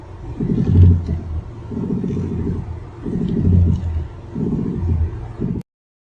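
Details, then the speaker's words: Heard inside the car while steering: a low, rumbling groan in repeated bursts as the wheel is turned; steering noise attributed to vibration amplified through connected joint parts. "Mari kita dengar bunyi lain yang boleh didengar dari dalam kereta ketika mengendalikan stere."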